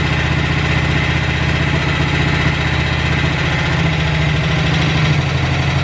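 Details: Cold-start idle on a BSA 441 single with an Amal carb cleaned after water and sediment in the float bowl caused sputtering and missing. A low, fairly steady thump without stumbling; idle and air-fuel mixture roughly dialed in, to be retuned once warm.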